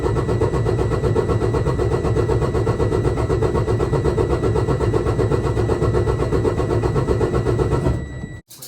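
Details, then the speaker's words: Detroit DD15 diesel after valve adjustment, intake valves had been very tight: brisk, even cranking at about four beats a second with a steady whine; cranking speed noticeably higher than before, compression even. "okay guys so you're going to notice number one the cranking sounds different the RPM speed or engine speed is definitely higher different than it was before"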